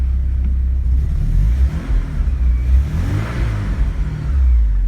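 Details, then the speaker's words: 1986 Porsche 944 NA, engine cold: deep smooth rumble with a couple of clean blips settling evenly; normal cold start and idle after replacing the faulty DME temp sensor that caused a lean, hard/no cold start. "This engine is cold too."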